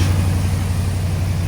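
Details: AK 427 Cobra replica first start after build, cold day, minor hose leaks found: deep steady idle burble with even pulse, no knocks, ticks or misses; idling cleanly. Normal idle.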